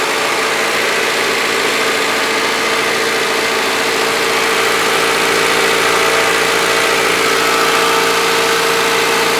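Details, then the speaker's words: Honda Civic that overheated after hitting a raccoon, after repair: throttle propped at about 2,000 rpm while warming to temperature gauge halfway, waiting for thermostat to open; steady, even fast idle with no knocks. "I got the throttle prop the about two grand about halfway up on heat"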